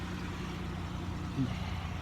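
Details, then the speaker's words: Auction-bought Buick Rendezvous SUV, formerly loud, just after an exhaust shop repair: low, even engine rumble at a quiet level with no blowing or rasping; far quieter than before, exhaust sounds sealed and normal. "You know, it's quiet, way quieter than what it was. You know, after it runs a little bit, it'll settle in, it'll be ready."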